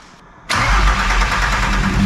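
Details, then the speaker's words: VW T4 Caravelle Synchro 2.4 diesel (AAB), first start after complete engine overhaul: catches after short crank, runs loud, lumpy and uneven because of lots of air in the fuel line, beginning to take fuel as air bleeds out. "Runs, but there is lots of air in the fuel line, so that's why. Yeah, but now it starts to take the gas already."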